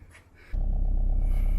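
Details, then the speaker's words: Subaru Impreza GC8 RS Ti with new coils, after regapping the spark plugs from about 0.040 down to about 0.028–0.030 to cure misfire and breakup under boost: engine starts at once and settles into a steady, even idle with no misses. "let's go for a quick test drive idles fine still started right up like it should"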